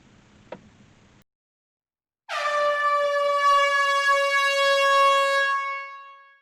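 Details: PT Cruiser whose horn barely worked, fitted with an aftermarket horn wired in; loud, steady, brassy blast held several seconds then fading, new horn sounding strong and clear.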